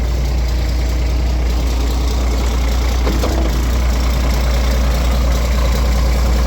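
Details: Roadtec paver diesel after fuel filter change and exhaust/air intake repair (was sputtering and shutting down): steady, even low rumble at idle with no misses, coughs or stumbles; healthy and settled.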